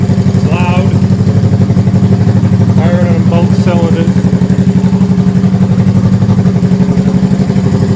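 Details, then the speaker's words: 1971 Honda CB350 twin, first start after full top-end rebuild with oil flow fixed, avgas/low-lead mix, likely needs rejetting: loud, even idle just over 1,000 rpm, steady pulses on both cylinders, no knocks; normal idle. "That sounds really, really good. I'm using mix of avgas and regular gas, low lead."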